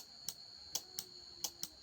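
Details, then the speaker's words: Rilon welding transformer relay fed 25 V directly from a power supply, tested because it didn't click in the machine: five sharp, crisp clicks within two seconds; relay switches normally and is good, the fault is missing supply voltage. "Tembak langsung ke relay-nya apakah masih hidup? Ya, relay terdengar hidup. Berarti relay aman."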